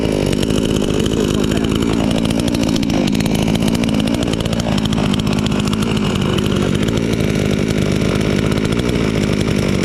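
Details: Chinese chainsaw sold as a fake Stihl, freshly assembled and started first time; even two-stroke buzz that dips and climbs smoothly with the throttle, never stumbling; owner glad it runs fine, normal running.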